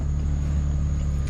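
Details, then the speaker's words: OBS Chevy Blazer at idle; steady low drone with a faint thin high tone riding constantly on top. Owner traces the squeal and hum to the alternator, plans to replace it; one idler pulley slightly wobbly but not bad. "the one idler pulley down there is a little little wobbly a little wonky but it's not bad but the alternator is what's squealing on this thing"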